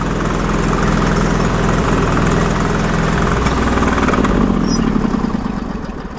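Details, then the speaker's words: Sears Suburban loader with a 20 hp Briggs & Stratton Vanguard V-twin, plowing snow on full choke and running smoky and warm: a labouring, lumpy beat that sags under load, with a smell of burning oil; the owner suspects it is running a little lean. "Well, I start to smell some burning oil happening there. Yeah, that was burning oil there. I think she's running a little bit lean."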